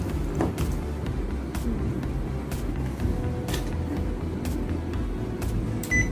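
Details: Panasonic AC indoor unit with fan motor fault (fan won't spin, AC shuts off), capacitor checked good; another fan motor tested: steady low hum at constant speed, no surging or rubbing, few light clicks; healthy.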